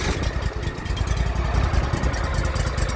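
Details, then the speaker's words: Craftsman YTS3000 riding mower with a new hydraulic hose, belt possibly stretched and still to be replaced: the small single-cylinder starts readily and settles into a steady, even chuffing idle with no knocks or misses. "she cranks right up for the most part"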